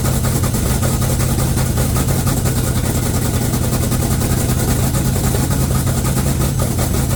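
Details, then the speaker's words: 1969 Cutlass twin-turbo V8 just after first start, blow-off valves not fitted: loud idle with a heavy, slightly uneven low pulse and shaking; rough running expected because it has no MAF or O2 sensors. "She gonna run rough. She does really rough because she don't have a MAF and O2 sensors."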